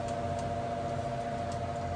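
A steady whirring hum with a faint, regular tick about two or three times a second; a noisy fan, cause not found.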